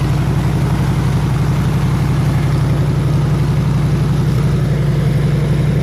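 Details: 302 V8 powering an air compressor, after the troublesome HEI distributor was swapped back to the old points distributor and the carburetor rebuilt: steady, even low rumble with a regular beat, no misses or knocks; idling smoothly and healthy.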